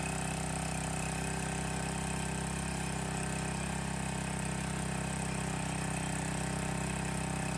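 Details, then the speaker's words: Landworks 20-ton log splitter, small single-cylinder gas engine just started, loose choke lever creeping toward run: steady, even drone at constant speed, no knocks or stumbles, quieter than expected; normal running. "Honestly, a lot quieter than I thought it would be. I don't know if you can hear it on the camera, but it's really not all that bad."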